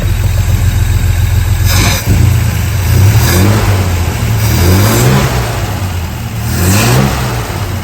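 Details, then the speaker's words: 1963 GMC Suburban panel barn find with a 305, first run after fresh plugs and cleaned points, fuelled from a bottle with small gas leaks: the V8 answers short throttle blips cleanly and drops back to a steady idle, sounding healthy. "sounds healthy too [Music] 305 brought right back to like a couple little gas leaks here and there expected running off a bottle right now"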